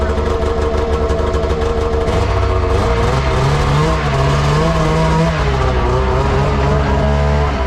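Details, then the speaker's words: Arctic Cat ZR 600 EFI snowmobile, sat about 10 years, on test ride: raspy two-stroke pitch wanders and surges, hesitates, won't open up under throttle until it hits the power band; cause unknown. "it is running but it's not quite up to speed it does not want to open up very well i'm not really sure what that means i have to really play at the throttle and then it then i can hit the power band once it gets going"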